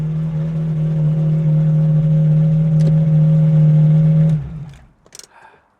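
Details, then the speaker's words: Ferrari 355 V8 at collection after a full engine refresh, with Tubi manifolds, Larini cats and a Capristo backbox. A smooth, steady deep drone under load that fades as the car pulls away. Healthy V8 exhaust note. "There's something about the lines of a 355 and the way it sounds. Your hair is on the back of your neck just stand up and that's exactly the feeling I had there."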